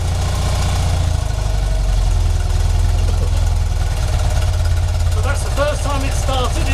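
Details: 1975 BMW R75/6 airhead boxer, Bing carburettors, about 140,000 miles, off the road over a year: cold start in neutral on full choke after service. It fires and settles into a low, slightly lumpy idle with no knocks or rattles.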